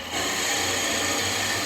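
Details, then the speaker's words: Drilling into spalted wood (possibly beech) on a lathe after waxing the bit to stop squealing; the bit stays cold. Even hiss of cutting and rubbing with no rising squeal; drills smoothly, and speed would be lowered further if screeching returned. "yeah there we go another tip right clean that all off again turn that all off if it was still screeching then I would just turn my speed down even more"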